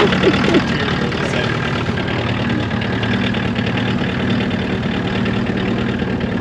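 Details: 1979 Mk1 VW Rabbit diesel after long storage, first start after glow plugs: loud uneven clatter around four beats a second that never settles, blowing some white smoke of unburnt fuel; rough idle.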